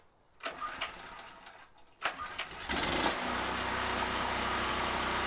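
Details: Gasoline generator converted to tri-fuel, running on propane, recoil start only: purge valve tapped for a second, a few pull-cord rattles, then it catches and settles into a steady, even run with no misses; normal start and idle.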